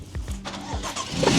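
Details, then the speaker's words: 10-year-old modified BMW F82 M4, S55 engine, start-up: a few slow, uneven cranking turns, then engine stumbles and catches roughly with a slight suspected misfire; hard start, to be diagnosed by scanning. "So as you can hear, it's struggling to start up. Sounds like it's got a little bit of a misfire, so we'll plug it in and we'll see what's happening."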